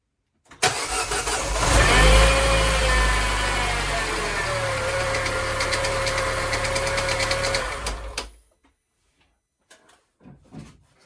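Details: Salvage Mini JCW (N14) rebuilt engine restarted after the timing was rechecked: runs about six seconds with a rough knock under idle, then shut off; error codes logged; crank pulley harmonic balancer knock.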